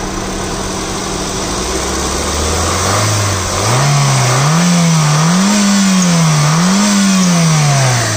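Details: 2006 Honda City ZX: engine idles then revs in repeated surges, pitch rising and falling with throttle; an extra engine noise rides along, cause unclear.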